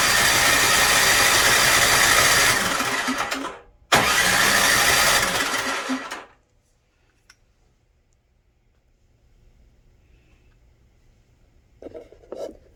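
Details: Snowblower that won't start after sitting all summer: two bursts of quick, even cranking at about four beats a second, then silence. The engine never catches; cranks but won't start.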